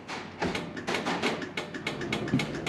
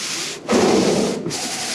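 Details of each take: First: Ford Courier pickup, lights checked on the column stalk: crisp, even clicking at roughly three per second, too fast, hyperflashing because the rear indicator bulbs don't work. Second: Vintage Ford Courier pickup's windscreen wipers sweeping the glass at slow speed during a will-it-run check: a steady, even rubbing swish with no chatter or motor strain. The wipers work normally.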